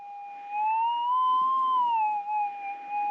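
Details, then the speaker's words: Minelab GPX 6000 metal detector just switched on, held four inches above ground after ground balance and noise-cancel, volume up: smooth warbling tone drifting gently up and back down; normal noise-cancel wavery threshold. "and that's the machine basically kicking in okay and with the headphones on this is much quieter and i got the volume up pretty loud and it's always going to have that little bit of wavery sound to it"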